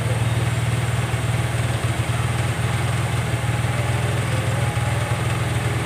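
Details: Honda Vario 110 (Vario Techno) carburetor scooter at idle with no throttle: idle speed rises and falls by itself, beat wandering up and down and never settling; idle hunting.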